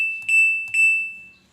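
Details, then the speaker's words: LG jumbo two-door inverter refrigerator PCB on the bench without the display connected: pressing for test mode gives only two short, clear high beeps, as the board treats the missing display sensor as a fault and won't enter test mode. "Karena itu masih sebuah kesalahan; Kami hanya menghubungkan bagian ini, bukan sensor layarnya. Jadi, ketika kita menekannya, hanya akan"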